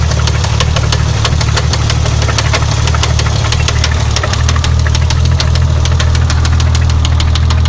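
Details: BMW 520i, M20B20 engine at idle: sharp, deep, metallic knock at roughly 200 per minute over a rough idle; owner first asked whether it was the valves, but the No. 6 rod bearing had spun from oil starvation; rod knock.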